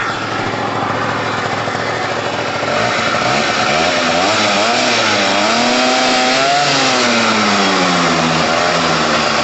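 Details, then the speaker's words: Gilera/Piaggio Pulse Force 50cc two-stroke after carburettor replacement, just started first time on choke, smoky from excess oil: buzzy note climbing and wandering with throttle, firing evenly without misses; healthy running. "Okay, guys, so we've got started first time, fine. There's lots of oil in there, so it's smoky. That's good. That's what we want for now. It sounds amazing."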